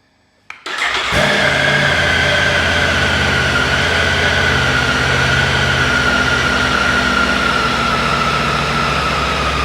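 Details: Triumph Tiger 900 GT Pro in the garage during a TuneECU service-light reset and sensor checks: short starter whir, then it fires at once and holds an even, steady idle with no misses or knocks. Normal start.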